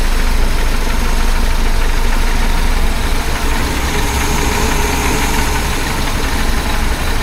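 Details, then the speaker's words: 1976 BMW 2002 (E10) M10 carbureted four-cylinder at idle after fitting a new Weber-style carb and swapping in a newer coil; smoother, but a light uneven clickety-clack ticking, about three per second, remains, source not yet found. "That made it a bit smoother. Don't know what that clickety-clack dock is. I'll have to chase that down somehow."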